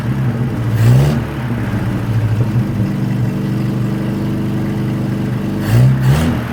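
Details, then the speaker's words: 1963 Nissan Junior ute after sealant on intake manifold gap and freed throttle cable; low idle hum with short revs sagging back unevenly; it now idles but is temperamental. "Alright, she's not idle, a bit temperamental though, and it appears to be going forward and back."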